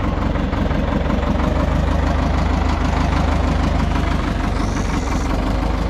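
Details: Front-end loader that sat 15 to possibly 30 years, revived: low, steady diesel chug at even idle, about three pulses a second, no knock or miss; healthy normal idle.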